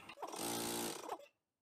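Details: Air compressor motor run with power borrowed from an AC unit's capacitor while diagnosing a non-working compressor: catches at once and hums steadily with a clean, even drone before cutting out; start-up sounds healthy, fixed.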